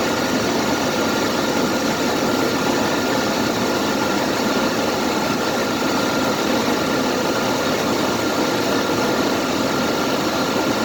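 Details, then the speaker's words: CJ just started, cold idle: faint steady high whine over an even hissy idle; the noise comes as the voltage dips, jumping between 7 and 13 instead of 14.6 volts; failing alternator. "And I also hear this funny noise in it. When I hear the noise is when the numbers dip down."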